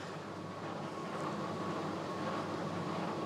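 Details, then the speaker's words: Fisher and Paykel condenser dryer that had a drum not turning and humming, running after the belt was pulled to start the motor. Strong, even motor hum and drum rumble, though a bad idler is still suspected. "power let's hit play wow it's like a jet engine now"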